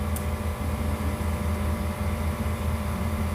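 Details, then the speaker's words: Customer's Nissan Pathfinder at idle, inspection before repair: steady low drone with uneven whir from a wobbling drive belt tensioner pulley, belt riding on its edge; worn tensioner, replacement offered. "hear that should not sound like that so I will give him the option to replace that tensioner as well"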